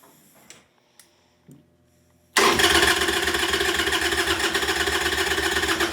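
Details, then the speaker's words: 1998 Harley-Davidson Sportster unstarted for over a year, new lithium battery, gas probably stale: a few faint clicks, then strong, even cranking that never catches. Long crank, no start. "This bike hasn't been started in over a year. Gas is probably stale. I'm not necessarily expecting it to start, but I am expecting it to crank really good."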